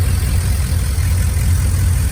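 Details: 2001 Silverado 5.3 V8 with turbo kit, after replacing the blown driver's exhaust manifold gasket with a metal one and adding a turbo blanket. Deep, steady idle, even low rumble, no ticking or puffing at the manifold: normal idle, runs smooth.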